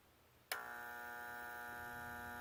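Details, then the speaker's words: Oil-fired water heater burner with no hot water; oil tank full and burner blinking green. After a reset a steady electrical hum, suspected from the transformer, and a couple of faint clicks are heard, but the burner never fires. It hums without igniting; cause unconfirmed. "you hear that humming [Music] I'm pretty sure it's coming from the transformer and then there are a couple little clicks that I think you may have heard hopefully and that's it"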